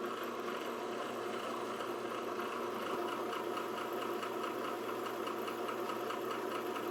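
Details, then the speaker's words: Old drill press rebuilt with realigned motor and 3/4-inch Weldon shank annular cutter arbor, drilling steel dry: smooth, even cutting hiss without chatter or grabbing, slug ejected at the end; normal drilling, clean hole. "Absolutely perfect. And you heard it eject the slug at the end. That's what that noise was."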